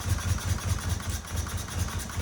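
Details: 1977 Fiat 124 Spider barn find, sat nearly 25 years, first start after a bad starter was fixed, running on squirted gas with empty fuel lines, no radiator connected: lumpy, uneven idle with pulses rising and falling, barely hanging on; rough running, not 100% right.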